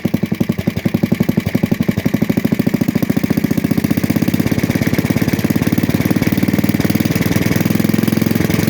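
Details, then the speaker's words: 1966 Custom 6 engine reassembled, starter-generator with new bearing, first run: steady, fast, even thumping idle with a light tap on each beat and slight smoking; top-end tap, cause unknown. "Jesus smoking a little bit he's got a tap to her"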